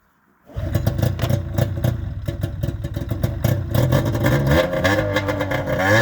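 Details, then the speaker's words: 2000 Arctic Cat ZL440 two-stroke after a rebuild, after clearing a flood; catches into a crisp, even crackle, revving cleanly with no misses; runs healthy. "Dude, this kind of sounds good. I know."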